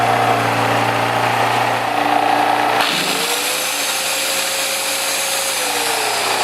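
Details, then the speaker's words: Champion 196cc 3500 W peak generator just fitted with a new carburetor, started on choke with fuel valve open: steady buzzing speed, brief pitch shift, then even running with no missing or surging; normal test run. "So I'm really happy with that. Even though you're putting in a new carburetor, always test it if you're fixing stuff for customers, because you never know, you can get a bad carburetor that is brand new."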